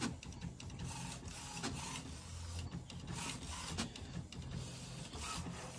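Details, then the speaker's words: HP Smart Tank 500/516 after air in ink pipes and blank prints: steady rhythmic carriage passes with feed-motor buzz and clicks while printing the alignment page and charging the heads to purge air. "ये देखिए ये आपका page निकल गया है और ध्यान से देखिए देखिए कैसे यह हेड चार्ज कर रहा है जितनी प्रिंटर पर एयर सब निकल जाएगी"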